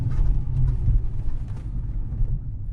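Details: Genesis BH cabin after about ten hours of interior rattle removal (center fascia, gear lever area, driver door): steady low road rumble while driving, with no ticks, buzzes or rattles from the trim.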